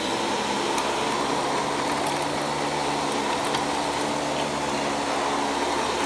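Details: Panasonic Jet-Flo MC-5155 upright vacuum, early-1990s, US-made, 6.7 amp motor, new belt, base plate missing: steady, even motor hum with smooth airy rush, no rubbing or flapping; runs healthy.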